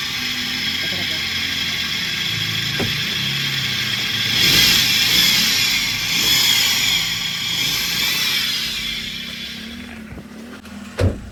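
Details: Running car engine, before repair, with a loud steady high-pitched whine and gritty chirping pulsing about three times a second from a bad, worn belt tensioner pulley bearing, later fixed to eliminate the noise.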